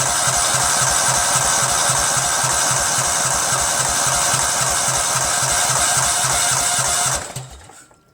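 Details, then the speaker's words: Cub Cadet lawn tractor, 13hp Kohler Command CH13, fuel pump output test: steady cranking about four strokes a second without catching; mechanical fuel pump only trickles fuel; crimped fuel line and leaking carb gaskets later found. "okay so it trickles out but it's not really flying out you know"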